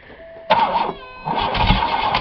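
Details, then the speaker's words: Buick 3.8 (3800) V6, already broken in a demolition-derby crash, restarted with one connecting rod removed and a hole in the block: heavy crank bursts, then ragged uneven running and revving hard, as if throwing another rod; hard restart after engine failure. "oh oh oh oh that rev to the Moon right away sound like it threw another Rod"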